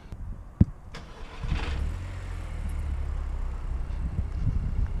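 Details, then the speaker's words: Audi TT Mk2: a click, brief crank, then the engine catches cleanly and settles into a steady, even low idle; healthy start. "Yeah, starts up perfect. Runs nice there."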